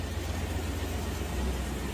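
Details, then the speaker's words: 1996 Chevy 1500 V8 idling after replacing its 30-year-old exhaust with new gasket and double-inlet muffler; low, even rumble, smooth and quiet, no rasp, hiss or leak. Normal idle. "Nice and smooth and quiet."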